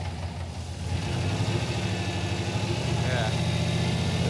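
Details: V8 with aftermarket ECM wiring, coil wires crossed: one bank firing evenly, the other rough and choppy with a missing beat, at least one dead cylinder, running on six cylinders; misfire from crossed coil wires.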